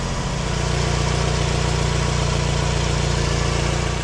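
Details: 2009 Toyota Camry, 2.4 L 2AZ-FE, idling after alternator replacement with a fresh battery, charging at 14.1 V: smooth, steady low idle with an even pulse and no knocks, whine or belt or alternator squeal; healthy.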